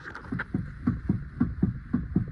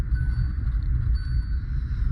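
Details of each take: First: 2021 Hyundai Venue with 25,000 km, standing still without driving: steady hollow clunks about two a second from the front suspension area, traced to a defective steering rack assembly; worn steering rack knock. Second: 2021 Hyundai Venue, 25,000 km, after replacing the steering rack assembly: steady low rumble, no knocks or grinding; earlier noise came from water entering the rack and washing out lubrication.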